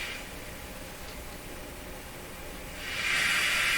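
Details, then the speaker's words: Grundig 2030 AM/FM tube radio, FM band while swapping FM tube during RF/detector tube testing: rushing static, quiet then swelling, no station, same drop-off at upper end; suspected antenna tuning or roll-off, not confirmed. "and we're up at this end still has that same drop off"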